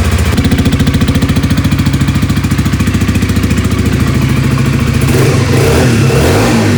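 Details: 2007 Honda CBR125R, left outside two years and non-running, started after refitting a missing seal: steady, regular putter about three pulses a second, then note changes, no misfire or stumble, running fine.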